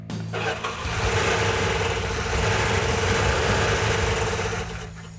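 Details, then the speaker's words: New rebuilt Mopar 340 engine, first start after fuel sending unit fitted: runs rough and uneven, lumpy beat with a dropped cylinder or two; later found knocking with sand in the engine. "That not sound good."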